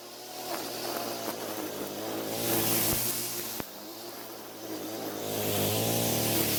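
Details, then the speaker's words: Echo string trimmer after a new carburetor diaphragm improved fuel flow: a two-stroke buzz climbing smoothly in pitch as it revs, with no stumbling or surging. It is running a whole lot better. "Well, as you can tell, it's running a whole lot better."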